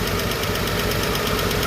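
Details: Chevrolet 235 Blue Flame six at idle during valve adjustment, ticking began after a 10–15 mile drive: quick even tapping in time with engine from one rocker/lifter; bad lifter suspected and later rebuilt.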